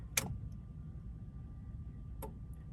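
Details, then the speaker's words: 1994 Honda Accord with intermittent no-start, main relay solder joints reheated: at key-on and key-off two crisp clicks about two seconds apart over faint hum; the main relay is switching normally. "so that click as soon as it turns off tells you that the main relay is working"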